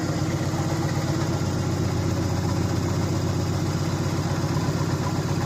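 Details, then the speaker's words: 2004 Subaru Impreza idling after engine re-assembly with a JB Weld-repaired stud, coolant being burped with some debris, probably from old radiator and block: steady smooth low rumble, no knocks, ticks or misses; running cleanly. "Well, it doesn't sound like it's missing. No check engine light? No check engine light."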